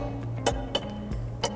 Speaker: handelt sich dabei um ein typisches geräusch welches beim aussehen von heizungsrohren aus metall entstehen kann die rohre denen sich bei erwärmung aus und ziehen sich anschließend wieder zusammen dadurch kommt es zu dem knackgeräusche